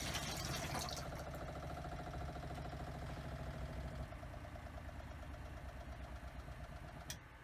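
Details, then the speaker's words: Newly installed motorhome habitation water pump, run on caravan battery: even pulsing hum easing as pressure builds, then switching off cleanly when taps close; pump repressurises and stops normally, quieter than before, no leaks. "Turn it off, make sure the pump stops okay."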